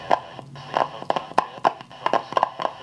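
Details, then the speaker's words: Silver mica disease in the second IF transformer of a General Electric C-403A tube radio: loud, long, irregular sharp crackling bursts, about three a second, drowning out the station the whole time while tuning. "the scratches are they're just so loud and so long that you can't even hear the station"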